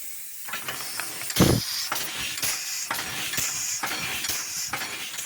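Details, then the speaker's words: Air-powered locomotive "Tornado", leaks fixed, tank filled to 120 PSI, runs just over 2 minutes, works down to about one bar. Quick, fairly even hissing exhaust puffs over a steady air rush; normal running. "so we filled her tank to 120 PSI and timed how long she would run which wasn't very long it's not much more than 2 minutes it's not great really she does use a lot of air"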